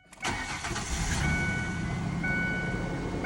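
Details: 2011 Ford Ranger XLT 4.0 after no-crank no-start fixed by replacing the PCM relay (no PCM power before): brief crank, catches at once and settles into a smooth, steady idle with no misses or knocks.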